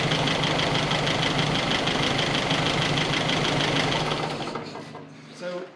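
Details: 1961 Triumph TR3A, just started after fitting a new Pertronix distributor with integrated electronic ignition, timing approximately set by ear before the timing-gun check. A steady, even idle with a fast regular tick and no misses: normal idle.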